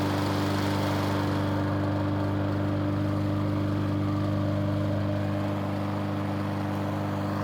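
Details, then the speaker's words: Briggs & Stratton 475 lawn mower after replacing broken intake tube and carburettor diaphragm: steady even single-cylinder hum at constant speed without surging or hunting, then shuts off; normal running. "Yes, it did start straight away and it seemed to run So I went ahead and refitted the carburetor like I did last time, and then test run it."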